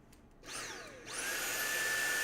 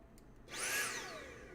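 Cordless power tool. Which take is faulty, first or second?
second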